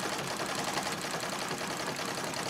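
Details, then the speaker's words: Singer 66 treadle sewing machine stitching during free-motion quilting: busy dry growl with a gritty high edge; needs oil and lint cleaned from the feed dog area under the cover plate. "growling and that's telling me that it's time to give it a little bit of oil and clean between taking the cover plate off"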